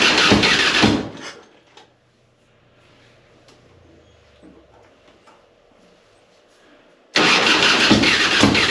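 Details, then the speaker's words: 2005 Harley-Davidson Softail Deluxe cranks sluggishly in labored bursts, about three turns a second, pausing between tries; it fired the day before and the battery is a year old. "this is having a hard time starting I I think it's getting fuel because it seems like it fired yesterday but it the the start is going really slow so I'm not sure if it's the starter"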